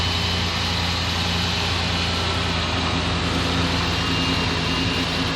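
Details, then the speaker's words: Fuel-injected gasoline Suburban just started after sitting: fast steady idle with thin squeal from the alternator belt, not settling; racing idle, owner suspects sticking throttle, unconfirmed. "h i pretty sure the throttle's sticking that's why it was racing"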